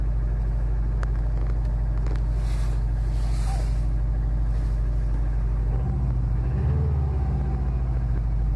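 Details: 2005 Saab 9-2X Aero, 119K on the engine, stage 2 COBB tune, cold start: a deep steady idle with a faint rapid knock underneath. Data logging shows no knock, and piston slap is suspected but unconfirmed. Cold start engine knock.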